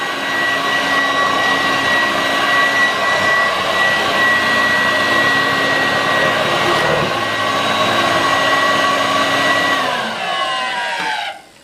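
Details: 1986 Vorwerk VK 117-1H upright vacuum, cleaned: strong, steady motor whine at constant pitch, then a smooth falling spin-down at switch-off; running normally.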